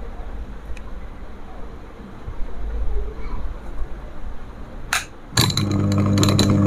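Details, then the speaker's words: Bhima Gold cooler water pump, new out of the box, switched on AC mains without water: after a muffled stretch it kicks on with a hard, steady buzzing rattle. The vibration noise comes from running dry and disappears with water. "అప్పుడు మీ ముందరనే sound వస్తుంది, vibration. మీరు ఒకసారి గమనించినట్లయితే vibration అనేది sound వస్తుంది అనమాట."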